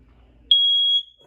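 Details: 2021 Sandpiper 393RL ceiling smoke detector test button: one sharp, high-pitched beep lasting about half a second; smoke alarm sounds as it should.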